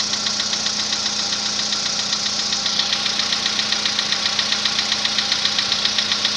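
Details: VW Polo Sedan built March 2014, 67,000 km, Liqui Moly oil; cold-start knock that began around 65,000 km. Sharp metallic ticking at about 2.5 per second, evenly spaced over the cold idle; cause unclear.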